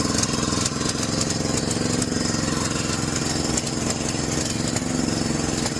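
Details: John Deere 6200-watt generator with a carburetor varnished by four-year-old fuel. Even after cleaning, with the choke fully off, it pulses and hunts with no settled rhythm and the outlets are dead. A replacement carburetor was ordered.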